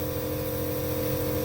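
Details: Nebulizer compressor running while medicine mists in the drug chamber: even, unbroken buzzing hum with a steady mid-pitched tone and no knocks or rattles; operating normally.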